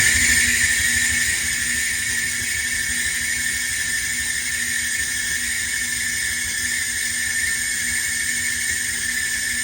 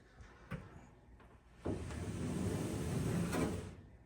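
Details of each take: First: Whirlpool Duet dryer running with a constant high shrill squeal over the drum rumble, most likely from the pulley, before repair: idler pulley squeal. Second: Whirlpool Duet dryer after refitting the idler pulley, not yet reassembled: drum rotated by hand gives a low, even rumble with blower wheel spinning and no squeak, as it should sound.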